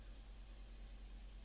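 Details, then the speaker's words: 2002 Toyota Yaris with a rough tractor-like idle, check-engine light on, a little exhaust smoke and poor pickup: low, slightly uneven idle with a faint stumble and no sharp knocks, a misfire. "basically this car has a rough idle sounds like to tractor R idle sounds like to tractor that's a one symptoms of misfiring"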